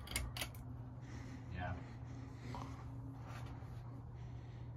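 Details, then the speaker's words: Encon Princess Petite ceiling fan, bought new in box, running: a low, steady hum with no rubbing, scraping or clicking. Quiet for an Encon though not silent; it wobbles badly. Runs normally. "for an Encon, it's actually pretty quiet. It's not bad, I can hear it. I mean, it's not silent, but compared to other Encons that I've tested or I've seen."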